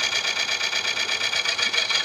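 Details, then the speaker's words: Coring a Tigerwood bowl blank about 15-16 in across and over 5 in deep: high raspy scraping pulsing several times a second as the cutter bites under heavy pressure, arm very hot; cutting chatter and vibration. "hot I do not like that sound I don't like that sound one"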